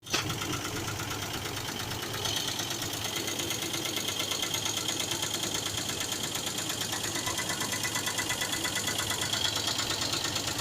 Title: Engine knocking sound